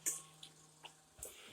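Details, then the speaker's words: Samsung RF22R7351SR refrigerator dispenser: sharp, evenly spaced clicks about every 0.4 s over a faint hum; defective control board driving auger motor and position switch, ice maker also not making ice. "the board was just replaced yeah but that's why it's clicking is the uh defect control board"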